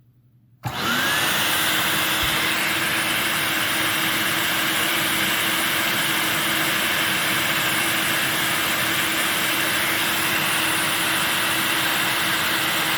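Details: Electrolux 1505 Silverado canister vacuum on an airflow test: motor spins up to a steady roar with a thin constant high whistle. Owner suspects the inlet hole to the automatic control valve or the inlet shape.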